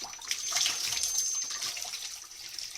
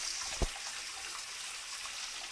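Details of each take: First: Old Grohe Grohmix thermostatic mixer tap, set to 50° with an instantaneous boiler: thin, high, steady whistle over rushing hot water while the temperature stays correct; scaled cartridge suspected. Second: Old Grohe Grohmix thermostatic mixer tap after repair, water at 38 °C raised to 60 °C: smooth steady hiss of running water with one small click; the former whistling has completely gone.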